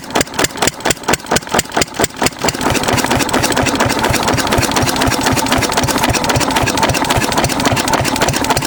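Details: 6 HP Witte diesel-electric engine, about 80 years old, running again after about 30 years following valve work, oil change and fuel-system cleaning; a few slow heavy thumps as it catches after hand-cranking, governor hunts then settles to an even, steady slow chuff; normal idle.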